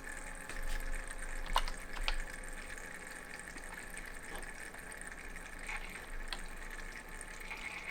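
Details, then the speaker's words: Thermalright 360 AIO cooler pump in a PC test bench: soft, irregular gurgling over a faint hum that fades as the pump speed is lowered to about 25%. Air bubbles in the pump are suspected. "okay here the pump R ramping down okay hear the bubbly noise kind of going away and now it's decently quiet"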